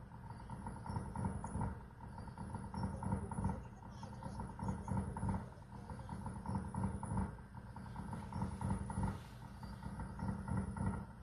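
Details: Tesla Model 3: a loud deep whirring hum swelling and fading about every two seconds, first thought to be a loud water pump. Tesla service fixed it by replacing the A/C condenser cooling fan and condenser.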